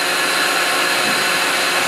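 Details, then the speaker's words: Van, cold day around 56°F, after a drive around the block: steady, even rushing whoosh of air with no rubbing, ticking or wobble; owner thinks it is just a loud cooling fan motor running normally, inaudible inside the van. "yeah I think it's just a loud cooling fan I don't know I'm gonna research it you can't hear it it all here inside the van especially when I had the heater on high in the radio on"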